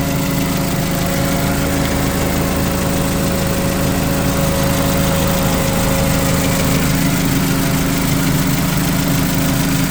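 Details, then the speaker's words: 2008 Mitsubishi Caterpillar 5000 lb dual-fuel forklift during pre-delivery inspection, running on gasoline: steady even low idle drone, no knocks or misses; engine sounds good and strong, normal idle. "Engine sounds good. Sounds strong."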